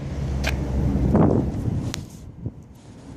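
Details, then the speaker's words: 1995 Mercedes S600 electronic throttle (EGAS) computer test, recorded outdoors with ignition on: a few sharp isolated clicks, then nothing. The actuator activated three times but not the fourth, pointing to a faulty EGAS computer. "as you heard it it activated three times on the fourth time it didn't activate so there's a problem with the sea gas"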